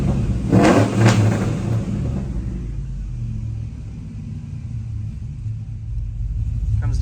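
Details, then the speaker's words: Chevy Silverado 1500 5.3L V8 (2004/2005, 4L60), Chopacabra cam, Speed Engineering long tubes, 3-inch single exhaust, warm idle at 181 coolant: a couple quick revs, deep lumpy cam idle settles back steadily without stumbling; normal rev and return to idle. "down to idle really nice. I say we're doing pretty good."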